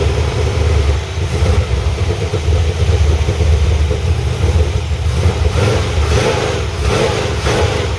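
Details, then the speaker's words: 1985 Chevrolet C10 350 V8 with ZZ4 heads and cam, after swapping to a used Quick Fuel SS 680 cfm vacuum-secondary carburetor, unadjusted, no choke or return spring: crisper throttle response than the Holley 750, but lumpy uneven note; debris still in the carburetor suspected. "i just stuck it on there as bad as it's acting up i gotta say it does take the gas a lot better than that 750 did it's a lot more crisp now it is definitely got some trash in it still"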